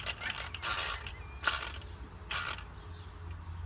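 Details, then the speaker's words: Removed points distributor from Ford 5.0 small-block van, shaft turned by hand before Pertronix electronic swap: crisp uneven clicks as points open and close cleanly, well oiled; normal breaker points operation. "Points are opening and closing. You can hear them clicking. Nice coating of oil, like nothing's dried up or dead."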